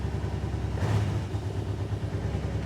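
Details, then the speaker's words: 2008 Kawasaki Brute Force 750i V-twin ATV, after a drive-belt deflection adjustment with shims and no belt reset: steady low idle, one throttle blip settling back cleanly, with no squealing from the clutch area. "fire it up sounds good no squealing out of the uh clutch area"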